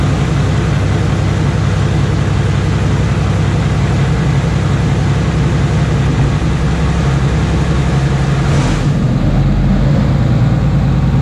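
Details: Iveco six-cylinder turbo diesel fitted in a 1942 M3 Stuart tank, test fire with no exhaust system: loud deep open-pipe rumble that holds steady and even once it fires; runs fine; normal running.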